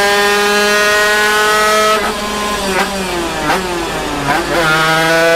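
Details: Zündapp KS50 two-stroke on a dyno: screaming note held around 13,000 rpm, then stutters and sags unevenly as the piston seizes.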